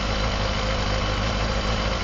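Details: Honda CBR250RR MC22 four-cylinder: smooth, even idle with a steady low beat, no stumbles; start-fluid retest shows all cylinders firing cleanly.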